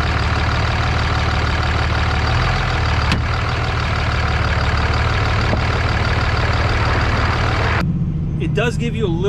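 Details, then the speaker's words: 2003 Dodge Ram 2500 Cummins 24v diesel, 5-speed manual, driving in four-wheel drive: heavy drone with a rough, uneven low churning from the NP271D transfer case's stretched chain partly slipping on its sprockets. "of traction because it's not completely slipping [Music] but that's what it sounds like you really don't want to drive it like that too much you end up with a bunch of metal shavings in there"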